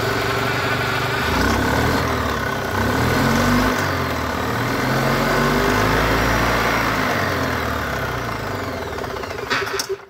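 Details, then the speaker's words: EZGO golf cart twin that had been running on one cylinder, after straightening a damaged spark plug wire and wire-brushing carboned plugs: steady, even putter with both cylinders warm; normal running. "like two cylinders to me let's do the touch test that one's warm that one's warm too mint well looks like it could have just been the spark plug wire"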